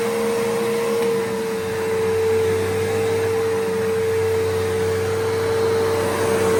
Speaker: Yeah, the fact that this still runs perfectly fine.